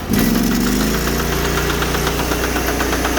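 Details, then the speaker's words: Sears Suburban garden tractor, fourth transaxle this year, began while moving firewood at idle: steady engine hum with a repeating knock, a few per second, louder as throttle and load rise, gone in neutral or with power off; transaxle knock. "getting a little louder maybe the noise will just wear itself out and go away or maybe the whole wheel will fall off again"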